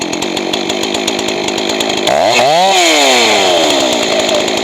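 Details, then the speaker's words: Johnson Red 670 chainsaw with rebuilt Tillotson two-stroke carburetor: screams at steady high lean pitch, then swoops and drops lower and fuller as high-speed mixture is richened; should end slightly rich since lean worsens with use. "And you want it to be a little bit on the thick side when you're done. If you're too lean, it's going to lean out more after you start using the saw."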